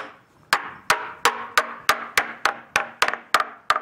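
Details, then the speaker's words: Used sailboat rudder tapped with a hammer during a survey, moisture readings expected high: run of sharp taps, some duller and flatter than others, marking where the skin has separated from the core; rudder skin-to-core separation. "That's where the skin is separated from the core. It's a little hard to determine that from that, but this is the kind of difference in sound that a surveyor would be able to show you."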